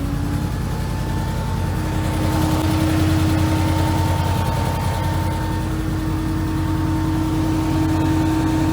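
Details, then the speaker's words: Can-Am Commander after cooling fan motor replacement with an aftermarket Hayden unit and coolant bleeding, no leaks: steady, even whirr at one pitch over low engine idle, no rattle or rubbing; radiator fan running properly. "got everything buttoned up no leaks it's all good you guys want to hear the fan"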